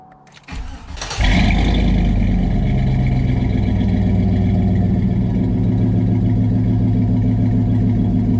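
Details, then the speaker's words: 2004 Chevy Tahoe flex-fuel, in for a no-start with a bad fuel pump, starting after repair: it cranks briefly, catches cleanly and settles into a steady idle with no knocks or misses; the fan clutch is pulling and throttle response is good. Normal. "yeah we hear the engine fan pulling we know the clutch is doing good we got a good throttle response"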